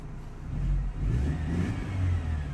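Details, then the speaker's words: 2003 Mercedes C180 Kompressor, 1.8 petrol, with code P0102 air flow meter faults, started after a rubber hose was replaced: deep, steady engine note with smooth light revs and no stumble or hiss. It runs normally after the repair. "seems to be running just fine"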